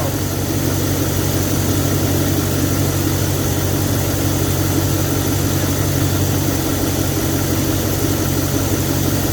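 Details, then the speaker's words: Audi RS5 4.2L V8 at idle: steady idle with a constant airy hiss of unknown source. A disconnected vacuum line was found and reconnected, with smoke testing for further leaks. Vacuum leak hiss at idle. "There's a hiss. There's a hiss. I don't know where it's coming from."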